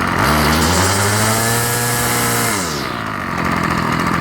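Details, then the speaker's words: Ryobi 705R 30cc petrol 2-stroke strimmer after fuel hose replacement and a fix for too-fast idle, restarted after flooding: revs drop from a high buzz to a steady idle without dying; slight stutter on throttle-up, may need a tad richer idle. "but now you can see it's idling nicely and when i throttle it up there's no stutter as soon as i found a bottle small stutter but no stall"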